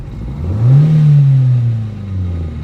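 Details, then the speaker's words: 1995 Geo Prizm, engine at full operating temperature, handheld vacuum gauge on the intake port: hard throttle stab makes the note swell, sag briefly, then pull through; hesitation on hard acceleration, slight fuel smell, cause not confirmed. "Took a second, but it did it."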